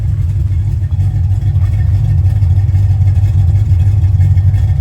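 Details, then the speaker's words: 1990 Ford Mustang GT Fox Body, built 306ci, new FST RT Plus 4-barrel carburetor, warm, idle screw turned up 1/8 turn: deep, even V8 burble at a lumpy idle of about three pulses a second, no misses or stumbles; running smooth. "But this thing is just running smooth. It looks amazing on there. All I did was just bump the idle up 1/8 of a turn on the idle screw."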